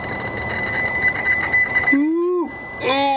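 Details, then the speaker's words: Variable geometry turbo actuator driven manually by a test controller box: motor whines rising in pitch, cuts out and strains; hangs up and jams around 60% before jumping to 100%. "so it's actually hanging up oh when it sounds bad about 60% and it just it just doesn't want to go past that it's just it's just jammed"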